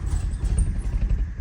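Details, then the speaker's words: 1977 Lincoln (Mark V/Continental) V8, first start after about three years in storage, fuel poured into the carburetor: starts right up but deep lumpy idle surges and sags, running rough, possibly short of fuel. "Start right up. It's running rough, but"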